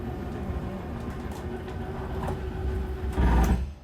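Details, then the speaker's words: 2022 Zinger 270BH travel trailer slide-out: steady low motor drone, then brief loud gear-grinding burst as the slide fully extends and the motor reaches its limit; normal, release the switch then. "uh just because it's the motor reaching its limit so it's going to sound like a gear grinding noise but as soon as you hear that just go ahead and let go it's not going to hurt anything unless you keep holding it down"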